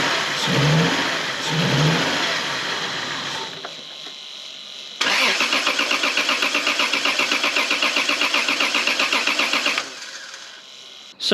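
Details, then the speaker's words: Lexus GS300 2JZ-GE inline-six after coil wiring work: starts and settles into lumpy, uneven pulsing idle, sounding like it's missing on a cylinder and worse than before; owner plans new coils, plugs and leads. "it hasn't been a terribly successful day i seem to have made the car worse"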